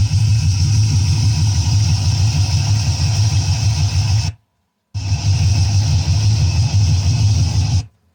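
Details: 1958 Chevrolet Corvette 3-speed V8 with 4-barrel carburetor, listening at the engine: deep, steady, even idle rumble with a smooth regular beat, no knocks or ticks; sounds sweet, normal idle.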